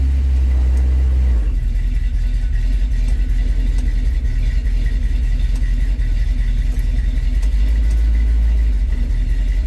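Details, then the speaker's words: 1970 Dodge D100 V8 at operating temperature, back on factory-style ignition and 600 carburetor after problems traced to a Holley Street Dominator intake; fires quickly and settles into a deep, steady, even idle after a rev, no misfire or knock, oil pressure good. "it's actually running good so let's fire it up and it fires up pretty quickly just like it did before"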